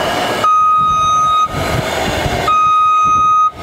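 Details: Electric JLG T350 towable man lift, 35 ft: steady electric pump hum with even beep, about one second on and one off, as the boom comes down; normal lowering with descent alarm.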